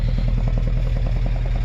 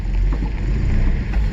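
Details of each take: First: 1979 Datsun 620 King Cab pickup, long parked, jump-started: steady even low burble with quick regular beat and no knocks or misses; smooth healthy idle that still needs a tune-up. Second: 1979 Datsun 620 King Cab truck, sat in weeds, just started with a borrowed battery: uneven lumpy low rumble, sounds like running on about three cylinders; misfire cause not confirmed.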